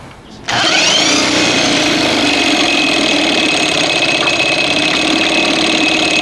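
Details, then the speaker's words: 1987 Evinrude 4 hp outboard, after its ignition spark was restored. It gives a buzzy, ragged two-stroke note while throttle is adjusted and misses. It dies in gear and races when the throttle opens; cause not found here. "I mean, you can't drop it in gear and it's going to die like that. And you can't jack open the butterfly because it's going to be racing in you know, in idle."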